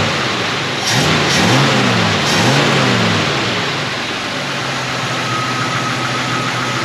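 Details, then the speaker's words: 1946 Studebaker truck with AMC 258 straight-six, new eBay Chinese BBD copy carburetor just installed and idle mixture adjusted: clean pickup through several quick blips, settles without stumbling; carburetor responding strongly. "pretty strong let's take it for a little rip here and see how it does"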